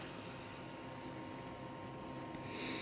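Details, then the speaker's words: PC water-cooling pumps, two on a Molex connector, switched from 5 V silent mode to 12 V full speed: a loud, steady whining, grinding hum with a low rough undertone, even and unchanging; normal, nothing faulty. "that almost like winding grinding noise that is the water pumps"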